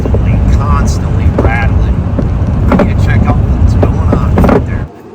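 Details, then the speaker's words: 2004 Toyota Sienna Braun wheelchair van, about 120,000 miles, heavily rusted underside, driving: loose irregular clatters over road rumble; not a bad shock but rear shock mount bracket rusted away, busting through the floor; new mount fabricated, shock replaced. "Okay, so I came down here to look at this and I thought it was going to be a busted shock, but it's not. If we look up here, the bracket that holds it is busting through the frickin' floor."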